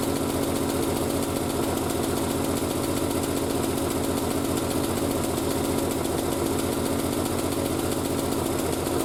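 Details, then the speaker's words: Triumph Spitfire after single-carb conversion, about a minute and a half after starting, already off choke and still steaming from the exhaust wrap: steady, even idle with a faint light knock from the bonnet flapping, not the engine; sounds healthy. "Appears to be running okay. Obviously she's still steaming. You can hear a slight knock noise. It's my bonnet flapping around, not the car."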